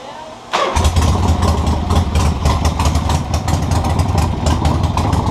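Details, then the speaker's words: 1976 Harley Ironhead Sportster on electric start after the intake air leak was thought fixed: loud, lumpy, uneven idle; rough running, with the carburetor or points suspected. "I think I eliminated my hair leak at the intake now it doesn't run perfect but it does what it does so maybe there's hope for ya"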